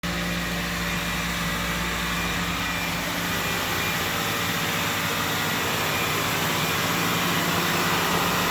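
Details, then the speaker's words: 2004 Pontiac Vibe (Toyota Matrix) with 200,000 miles, idling after a tune-up, new plugs, coils, MAF, PCV valve, throttle position sensor, all new fluids, new motor and transmission mounts, and a computer reset: smooth, steady idle with an even low hum, no ticks or misses; sounds real good. "Sounds good, huh? Yeah. It sounds real good. Very good, man."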